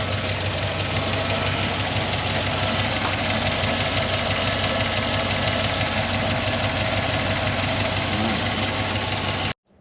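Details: 2007 Chevy Tahoe 5.3L Gen IV Vortec flex-fuel V8, 4L60E, 301,000 miles, cold idle, about 45 psi oil pressure despite high-volume pump: busy, uneven lifter ticking chatter with wind noise outdoors; AFM lifter collapse from low oil pressure.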